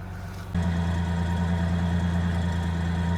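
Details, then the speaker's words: 2000 Ford Ranger XLT, long-sitting farm truck, engine reportedly replaced about a year before the owner's passing, first restart: steady even low rumble at idle once settled, no knocks or misses; sounds pretty good. "Yeah, that sounds pretty good. Yeah. Shit, it sounds better than your truck did. I know, it sounds better than mine."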